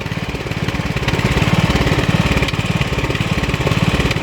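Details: 2003 LT1000 riding mower small engine idling warm with a quick, slightly uneven, raspy puttering pulse; owner suspects head gasket acting up because it got warm, breather found broken; abnormal engine noise.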